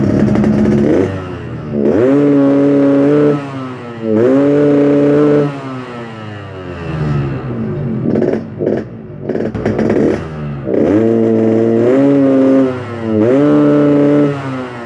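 Repeated blips where revs climb sluggishly and flatten out short of the top, burbly and lazy; running too rich from an oversized jet.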